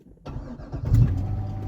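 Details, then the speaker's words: C6 Corvette Z51 3LT with over 250,000 miles, after restoration with a new starter installed: a brief clean crank catches within about half a second and settles into a steady idle. It sounds much healthier. "Sounds much, much healthier."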